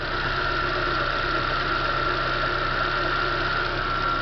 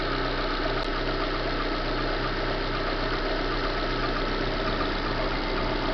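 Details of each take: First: 2010 Chevrolet Corsa Classic after replacing a noisy water pump, the scraping timing belt tensioner and both belts: smooth, even idle with no ticks or scraping, silent for 21 minutes. Normal idle after repair. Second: 2010 Corsa Classic 1.0 VHC, customer complaint of engine noise: a steady idle with a dry, rough, intermittent scraping from the front belt area. Traced to the timing belt tensioner and water pump bearing.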